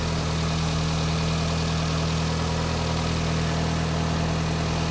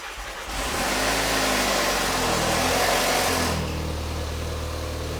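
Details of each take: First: VW Mk5 2.0T FSI EA113 engine with a straight-pipe exhaust, just after repairing the oil pump drive chain; it made an awful racket until oil pressure built, then settled into a smooth, quiet idle with no knocks. Normal idle. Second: VW Mk5 2.0T FSI EA113 with a straight pipe, first start after an oil pump drive chain repair with all the oil drained: a loud clattering racket until oil pressure builds, then it quiets to a smooth, quiet idle.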